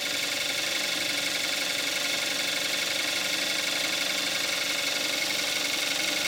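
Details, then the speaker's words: 2014 Kia Forte5 2.0 GDI, 41,000 miles, Amsoil 5W-30 synthetic, more warmed up, camcorder mic. Even, rapid injector ticking over a smooth idle with no irregular knocks. Normal warm idle. "This is what it sounds like with the engine more warmed"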